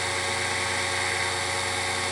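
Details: Grizzly G0781 mill after belt-drive conversion kit, bearings greased, rated up to about 4000 RPM: even, steady whirr with constant pitch and no knocks or rubbing, spindle running smoothly.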